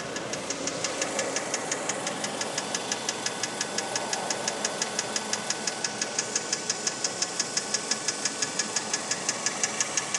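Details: 2004 Mazda3 Hatch Sport automatic, petrol, idling warm: sharp, even ticking about three per second on the passenger side, absent when cold, louder in manual mode; timing chain already replaced by dealer without curing it.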